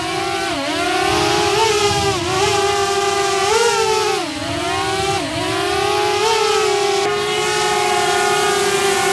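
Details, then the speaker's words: DJI Mavic Air with stock propellers, hovering then punched up for a decibel check: loud steady high buzz like a swarm of bees, pitch rising and falling with throttle; stock props very noisy. "And when the Mavic Air is up in the air, people run for the hills because it sounds like a swarm of bees is coming to get them."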